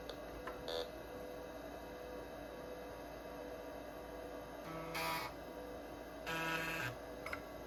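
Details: Old Kalok hard drive in a 286 PC running check disk: quiet steady spin with short chattery seek bursts every second or two, no clicking or scraping; drive working normally.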